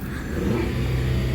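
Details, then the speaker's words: 2008 Dodge Avenger 2.4L, previously in limp mode with codes P0700 and P0335, after crankshaft position sensor replacement and clearing codes: engine pulls up smoothly as revs rise, no stumble, misfire or hesitation; it takes acceleration normally. "Yes, and now I can accelerate it. It's taking acceleration and it will drive like no."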